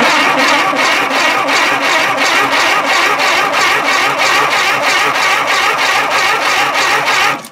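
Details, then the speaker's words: Tera jet engine cranking with a little fuel dumped in: steady high-pitched cranking, about three even pulses a second, never catches; no-start, owner finds no spark and suspects rusted coils. "It appears not to have any spark. I believe that's just the kill wire for it grounds the coil to stop it. I do believe."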